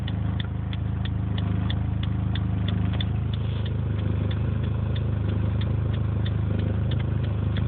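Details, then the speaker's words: 2005 Dodge Neon coming to a stop after 55 mph: horrible low heavy thrum at idle, seeming to surge, with a light tick about four per second; noise loud when turning right or accelerating, quiet when cruising; cause not yet found. "You can hear the horrendous noise. The best way to hear it. Okay. Let me hear it. That's the horrible thrumming noise at idle."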